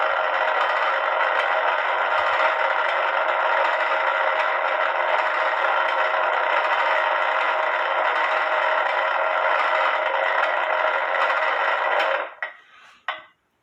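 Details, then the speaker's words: Eli Terry groaner clock, movement on the stand with beat amplifier on; a steady raspy groan for about twelve seconds during the strike, then stops, which is the normal groan this clock makes when striking. "Granted, the beat amplifier was on, but that's why they call it a groaner clock, because the groaning noise that it makes when it goes to strike."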